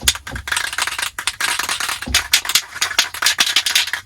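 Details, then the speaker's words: 2005 Toyota Land Cruiser 100 Series front door speakers and rear sub before surround repair: thin, buzzy playback with rattle and crackle on every beat as the deteriorated surrounds let the cones flap; speaker rattle from deteriorated surround. "And for those of y'all who might not know how bad these speakers can get, this is what they used to sound like."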